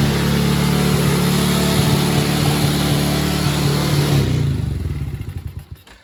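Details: Tao kid-sized Chinese quad, unknown cc, fresh oil, first start after tightening loose starter solenoid nuts: small engine putters quickly and evenly at raised idle, then shuts off. Owner suspects a sticking carburetor needle and seat, not yet checked.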